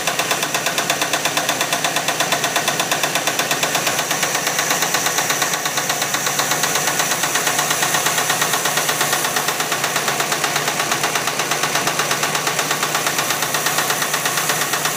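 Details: Jeep 258 inline-six idling: steady sharp tapping about three beats a second; owner wonders lifter tap or engine knock; cause undiagnosed.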